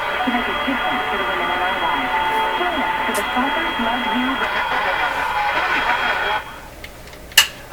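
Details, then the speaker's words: Canadian RCA Victor A23 tube radio after replacing the audio-circuit capacitors, tone control flipped: fuzzy buzzing distortion on every tone that doesn't clear; the loudspeaker cone is in big trouble, repair planned by soaking the cone. "there's no question the speaker is in big trouble in this radio there's no question about it"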